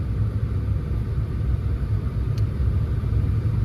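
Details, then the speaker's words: Saturn sitting in park at idle with a deep, lumpy rumble and an uneven beat. The scan tool shows cylinder 1 misfiring heavily at idle, with cylinder 3 misfires in history. "so when you're sitting in park at idle cylinder 1 is just going bonkers on the m"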